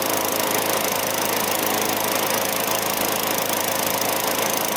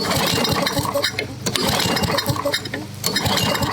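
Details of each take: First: Vintage Craftsman 21-inch mower with 6.25 hp Tecumseh engine, after service with oil, gas, lube and a fresh air filter: constant, even buzzing drone with no misses, surging or knocks; running cleanly. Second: Vintage Craftsman 21-inch mower with 6.25 hp Tecumseh engine, primed, cranking after service: uneven strokes, roughly forty a minute, with clinks but no firing; won't start because the spark plug is wet with water, not fuel; plug to be replaced.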